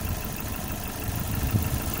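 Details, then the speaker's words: Lifan X60 engine after a rebuild to cure a knock, warmed up with fans running and the check light on: quiet, even, smooth low hum with no tapping or knocking: normal idle. "вот так работает двигатель вкусный сбор созерцайте красоту"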